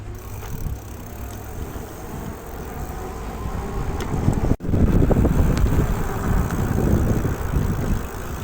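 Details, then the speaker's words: Electric bicycle mechanical disc brake after caliper and cable adjustment: coasting gives only tyre hum and wind, with no scraping. Before the fix, the pads rubbed the disc, made a whirring noise, sapped power and drained the battery. "an herhangi bir ses yok arkadaşlar Normalde kız kötü geliyordu giderken bbn biraz zorluyordu açıkçası"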